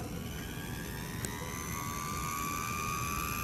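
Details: HP laser printer mirror motor (outboard DC, M63151FP controller) on 13.5 V with 80 Hz PWM at 55% duty cycle: faint whine climbing steadily in pitch over a soft hum as it spins up smoothly; normal motor spin-up.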